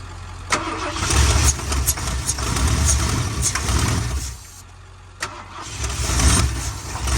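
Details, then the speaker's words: Ford big-block 460 in Clifford 2.0, jump pack connected and starting fluid used: the starter cranks steadily in bursts but it never catches on its own fuel. It has spark; stale fuel suspected, possibly a dead PCM. "we did make the 460 run but it doesn't run under its own uh gasoline because we think the gas that's in it is so dead that it's just not gonna run"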